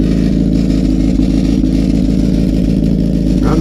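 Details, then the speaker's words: Honda CBR1000RR at idle: a loud, raspy, uneven sound with hollow blatting from an exhaust leak where the whole top of the muffler blew out while riding. "So I take it straight home, and this is what I find. The whole top of the muffler's blown out."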